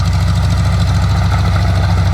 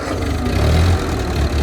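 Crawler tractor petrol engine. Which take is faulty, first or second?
first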